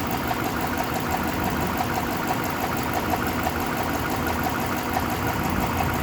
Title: Engine knock